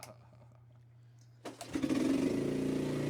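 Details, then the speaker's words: 1985 Suzuki Quadrunner ATV after chain tensioner and chain parts replaced: four pull-cord rasps, then catches and settles into a steady, even single-cylinder idle; runs normally. "4 pulls. I was closer, so I won the bet. Running quite well now."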